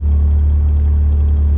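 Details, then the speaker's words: Honda B20 after fixing an idle stuck around 1800 rpm: IACV replaced, new TPS voltage, throttle cable readjusted. Idle now a little over 1000 rpm: low, even, steady hum without hunting; stable and healthy. "I think I finally fixed my idle. It's a little over 1,000, but I've been driving with that shit stuck at like 1,800 for the longest, and I finally fixed it."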